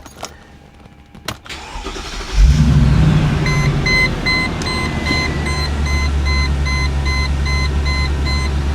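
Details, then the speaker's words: Cheap G-Wagon after the throttle position sensor was located: cranks and catches at about 2.5 seconds, then settles into a steady, even idle with no misses or knocks and no check-engine lights. "Good sign. It's running smoothly. No check engine lights."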